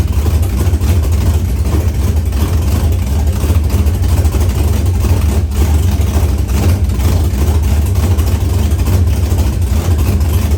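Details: Chevrolet S-10 with LQ9 V8 swap, Holley Terminator X Max and Current Performance harness, just after first start with no transmission fitted: deep, even V8 burble at steady idle, no knocks, ticks or stumbles; normal healthy idle.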